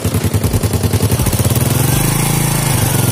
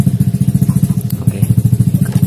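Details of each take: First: Fit-X New motorcycle after repair of a rough-running engine: the engine fires with an even, steady beat, smooth through the revs with no rattle, and power is back to normal; a slight tick remains, blamed on a slightly worn camshaft. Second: Yamaha FIT-X scooter after worn tappets replaced, engine no longer rough when revved: steady single-cylinder idle with a light, even tick on each firing pulse from a slightly worn camshaft lobe; valvetrain tick.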